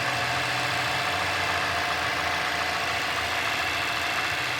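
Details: 2017 Mazda 6, 2.5L Skyactiv inline-four, about 20,000 miles, idling after the start-up fast idle quieted down: quiet, steady, even hum with no knocks or ticks; normal idle.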